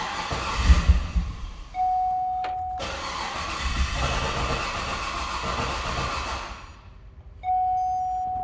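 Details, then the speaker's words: 2010 Cadillac Escalade after engine replacement: warning chime then a few seconds of steady starter cranking without catching; loose battery cables. "So battery isn't too hot, and we also have bad battery cable. Well, loose battery cables."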